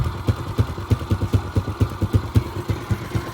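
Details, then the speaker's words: Yamaha Exciter 135 with rebuilt 62zz engine, full CTR ignition, Daytona tank, reworked exhaust; idling about three beats a second, steady firing, light valve clatter; smooth, unlike rough running before rebuild; normal idle. "Máy em ru luôn nha anh em. Xe này là làm bài tua. Thì lúc cái xe này mang tới thì nó không có êm được như vậy đâu."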